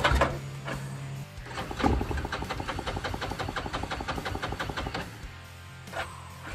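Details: Yamaha 660 ATV sitting six years, new solenoid and battery, carburetor still needing replacement: starter churns in quick even rhythm, engine barely fires then fades; likely short of fuel. Hard starting, stalls after start.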